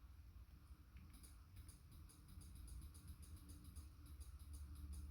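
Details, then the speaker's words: Nissan D21 Hardbody with a '94 Pathfinder tilt column and a '97 truck harness, in the shop. Grounding the brown/blue-speckled wire triggers sharp light clicks two or three times a second over a low hum: the horn relay clicking normally. "hear that clicking that is a relay is going to be our horn relay"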